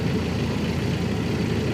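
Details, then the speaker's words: Jeep Wrangler TJ 2.5L four-cylinder, first start after spark plug change with intake off: low steady idle hum, even firing, no stumble or ticking, normal idle. "Sounding pretty smooth as well. Looking pretty good."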